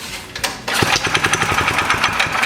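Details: Yerf-Dog go-kart single-cylinder engine after sitting a while, oil checked and fuel added, choked and with no air cleaner fitted yet. It catches after a few cranks and settles into a fast, even, rapping run with a sharp exhaust bark: it runs.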